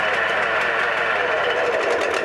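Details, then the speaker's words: Two-stroke engine with no valves or cam chain, starter spinning it forward: a solenoid click, then rapid, even chuffing with no grinding or slipping. Normal cranking; it can also be run in reverse. "you should hear the solenoid click and the starter mode"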